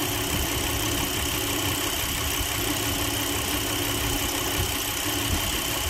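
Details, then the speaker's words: 2008 Chrysler Town & Country 4.0 V6, warm, at idle: low, uneven exhaust beat with an irregular miss; P0304 cylinder 4 misfire only at low rpm and smooth at high rpm; coil, plug and injector already swapped to cylinder 6. "las dejas así acelerando y empieza de nuevo a contar mis faiers solo enero fíjense la luz del chiringuito flyer así lo puedes andar trayendo dos horas manejando solo en baja"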